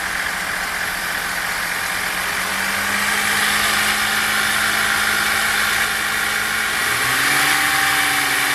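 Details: Chevrolet Captiva 3.2, engine warm, no fault codes, running smoothly: light even tapping about four per second over the idle, from the timing chain side.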